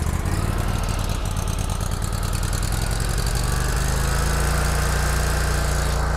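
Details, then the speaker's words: Kubota Z122R mower with new carburetor, running only with choke pulled up: lumpy, loping low thrum that settles later, dying when choke pushed down; acts starved for fuel. "now as you can probably hear not running well at all really act like it's stalking for fuel"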